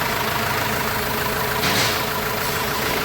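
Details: Renault Master minibus diesel after engine work, idling once reassembled: even, steady idle with no thumping or uneven beats, where thumping had been complained of; engine running smoothly.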